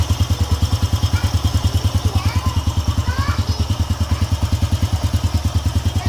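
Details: Honda EX5 Dream motorcycle engine after reassembly and fresh engine oil, previously loud rough noise blamed on a loose screw; even, steady thumping idle just over three beats a second, no knock or rattle; normal idle.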